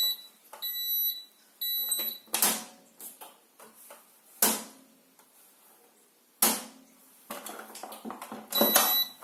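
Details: Zanussi Acycle 1000 FE1014N washing machine, rinse program not working, bearing also hums. A short run of high electronic beeps, then thumps; error beep pattern as it stops the rinse and nothing further happens.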